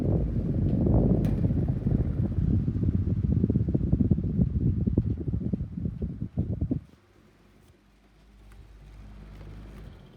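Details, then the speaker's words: 1982 Micromark 12-inch desk fan running: a whir with a rough, uneven scratching rattle from the motor. Its bearings have been bad for years, yet the fan still blows powerfully. "but it sounds like you can hear scratching noises from the motor I'll start it yeah you can hear the scratching noises Kanye still is powerful"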